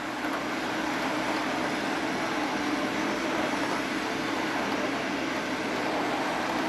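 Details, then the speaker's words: Hornby model train set locomotive running smoothly in reverse on temporary track after a few minutes; steady, even whir and rolling hiss with no knocks or dropouts. "all right so the Train's been running for a couple minutes it's working pretty well and I've got a good handle on the controls now"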